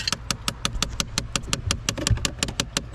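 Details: 2012 Chevrolet Impala with the key on, a loud rattling, clicking noise behind the dash at the glovebox. Sharp, even clicking about three times a second over a quiet idle: the recirculation door actuator is failing and knocking.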